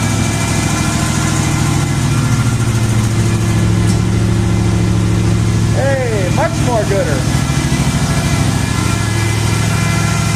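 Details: Jeep idling on jack stands right after the exhaust donut gasket was replaced: deep, steady idle with an even low pulse and no puffing or ticking from the exhaust joint; exhaust leak fixed, sounds healthy.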